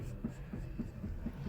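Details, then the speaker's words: 1999 Honda Civic with engine off (no power steering assist), steering wheel rocked: dull low clunks about four times a second from play in the steering rack; customer declined repairs. "this is how much slop the steering wheel has I can hear it like clunking but yeah that's just that's just the play in the steering"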